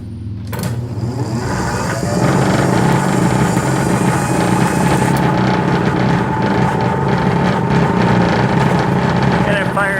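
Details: 1/2 HP Century repulsion-start induction motor, 1903, original, removed from 1905 church organ blower: sharp start then steady even electric hum with low drone, no knocking or scraping; runs normally.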